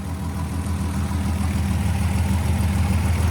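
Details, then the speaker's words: Fully rebuilt VW GTI VR6 with new exhaust and double resonators, exhaust manifold leak believed fixed, alternator noise gone, no tailpipe tip; deep even idle, no ticks, knocks or exhaust puffing. Normal idle. "sounds amazing I think I fixed the manifold leak letting this suck down no more noises from the alternator awesome"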